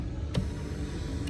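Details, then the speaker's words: 2014 Kia Cadenza passenger-side power seat, recorded for comparison with the grinding driver side: low, even motor hum moving forward, no grinding or scraping; its black tube is not touching the rail. "I'm going to flip my phone right there and I'm going to move it forward. So smooth, huh?"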